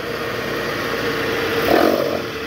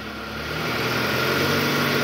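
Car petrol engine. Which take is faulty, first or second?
first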